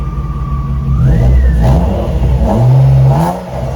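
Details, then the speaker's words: BMW E36 revved warm, with a whine rising and falling with engine speed; the car has made this whine for two years while still working, source unknown to the owner; whining noise. "And I mean, this whining noise, the car has been making this noise for 2 years and it did work."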